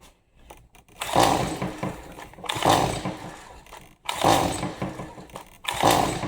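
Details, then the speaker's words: Stihl MS 180C chainsaw brought in as a non-starter, new spark plug fitted, choke off: four pull-cord bursts with brief compression rattle and no firing at all; old fuel to be swapped for fresh premium mix next. "Nothing. Not even a an inkling of wanting to fire."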